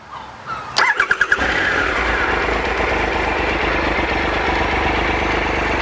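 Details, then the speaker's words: Triple-cylinder adventure motorcycle, sat unused for a while, started cold: brief starter churn of a few pulses, fires within a second, then holds a quiet, even, raspy triple idle. Revved before warming up. Normal cold start. "Isn't that quiet? I love that triple sound. It's really raspy, really nice."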